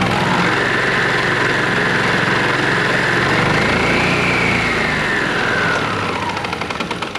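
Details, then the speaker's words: Yamaha TurfMate golf cart engine after 5+ years sitting, carb cleaned, fresh gas: starts on throttle lever, no choke, small single-cylinder chugs at an even steady beat; runs healthy. "Just pull on the throttle lever and it starts right up."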